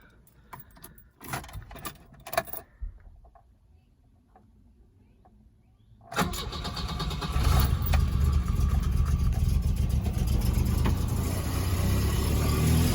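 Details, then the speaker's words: 1977 Volvo 242 that stopped running, after replacing a torn intake boot, securing the air flow meter, rerouting vacuum lines and plugging the air box: cold engine catches on a short crank and settles to a steady, even idle. "this is on a cold motor [Music]"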